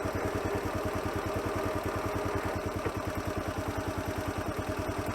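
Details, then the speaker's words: 1985 Honda CT110 6-volt postie in gear under light load: steady rapid low thumping with a dull mechanical knock on each beat; owner suspects piston slap or a worn big end bearing. "If your bike has got a strange knocking noise coming from the engine, you're not alone. My 6-volt postie, Red Dog, has developed an engine knock."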